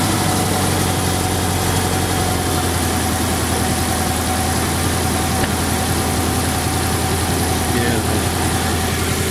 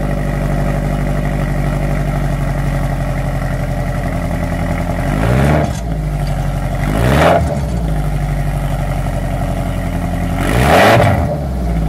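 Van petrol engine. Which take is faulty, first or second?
second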